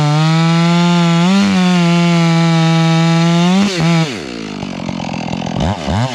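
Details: Stihl MS 461 chainsaw with Westcoast Saws kit and Maxflow air filter: holds a high steady scream, then burbles unevenly with a doubled four-stroking beat off load; mixture set plenty rich, could be leaned.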